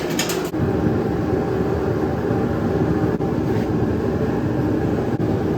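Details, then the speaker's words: Used 30,000 BTU propane heater bought at online auction, first test run after thermocouple warmed up; steady even roar holding flame with no sputter, popping or surging, kicking out good heat, normal running. "That's kicking out with some good heat."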